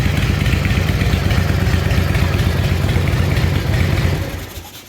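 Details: S&S Super E carburetor, just rebuilt, cold started without choke: deep, loud, lumpy V-twin beat runs steady and even without stumbling, then cuts off; clean healthy idle after the rebuild.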